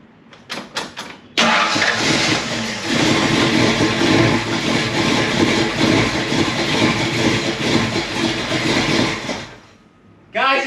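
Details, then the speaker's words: First start of a swapped-in 347 stroker engine before setting timing and carburetor: cranking catches into a lumpy, uneven idle that sags low and shuts off. The idle is too low and the ignition timing is audibly retarded by quite a bit. "Okay, so the timing is off, and the idle is really low too. So I can hear that the timing is down by quite a bit."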